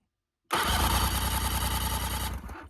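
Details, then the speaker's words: Damaged sportsboat engine of unknown condition, crank test: about two seconds of steady even cranking that stops without catching; turns over freely with compression but won't fire, owner suspects a burnt wire. "Yes! We've got compression. We've got compression."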